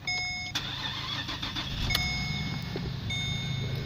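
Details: 2010 Holden VE Commodore SV6 ute, 3.6 V6 engine, automatic, 169,962 km, front-end crash damage into radiator: quick crank, catches and settles into a smooth, even idle with no knocks or ticks; engine sounds healthy.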